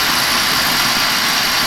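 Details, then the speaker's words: Burnham boiler with electronic igniter and Honeywell low-water cutoff, test-run after changing the oil filter and screens and cleaning the nozzle: a steady, even roar with no pulsing. Burning cleanly and normally, very low smoke. "here she's been running continuously nice and strong nice and clean she's getting a clean amount of fuel he was burning correctly"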